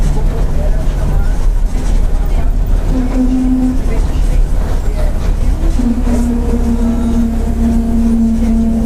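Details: 2007 Torino bus on a Mercedes-Benz OF-1722M chassis, under way: a steady drone with a rising, then held droning tone over the engine; the rear differential is howling loudly.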